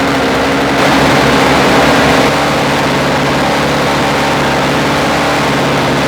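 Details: Toro 17-inch snow thrower with a two-stroke engine swapped in from an old Snapper, just started on electric start; fast, steady buzzing idle with even firing, no misses or knocks; normal idle.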